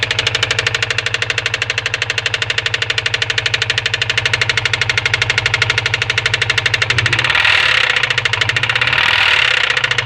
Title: wrx 03 engine knocking sound